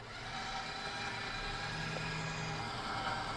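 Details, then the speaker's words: Nissan Xterra winch pulling the truck at idle after a Big 3 kit, 250 A high-output alternator and high-capacity battery upgrade: steady even motor drone holds strong without labouring, lights not dimming unlike before; normal winch pull under load. "even at the idling I don't see the lights dimming it's going pretty good it's pulling the truck no problem"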